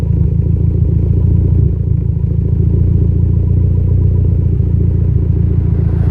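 Low idle rumble with an uneven, stumbling beat about three or four times a second; a mild misfire is still there.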